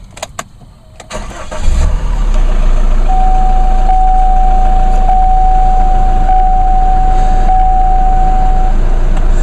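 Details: Chevy Colorado/GMC Canyon small Duramax diesel after dealer replaced DEF tank and refilled fluid; starter cranks briefly, engine settles into steady, even idle with no misses or knocks, no check engine light. Normal start and idle.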